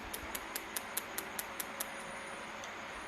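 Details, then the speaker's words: Air-cooled Porsche 911 EFI/turbo conversion, Ecumaster EMU Black ECU bench test, coil output test with coil pulled and spark plug grounded: sharp even snapping ticks about five a second for two seconds, then stop; coil sparking normally. "yeah so coils are working um well everything's working actually"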